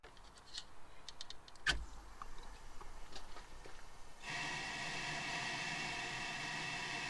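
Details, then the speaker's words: Audi 2.2 with Bosch K-Jetronic, new injectors on bench spray test; steady even hiss without sputtering, pitch differing at idle, half and full throttle, identical spray pattern in all five; injectors spraying normally. "absolutely spot on and you can hear from them from the noise of them as well they have a different pitch at uh you know idle half throttle and full throttle"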